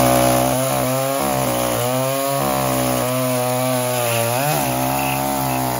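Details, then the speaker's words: Echo CS-345 chainsaw that bogged and died under load from a lean mix, after richening the H screw 1/8 turn counterclockwise and lowering idle: high revs hold pitch as the chain bites, dipping slightly and recovering cleanly; normal cutting under load. "as you can see adjusting that high speed screw about an eighth of a turn to the richer side of things allows this little saw to run exactly like it should"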